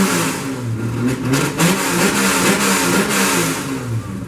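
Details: Ford Focus after replacing a broken engine mount that caused a rattling, can-like knock from the front rising with acceleration: smooth even engine note rising and falling with throttle, no knocks or thumps; normal running on a drive.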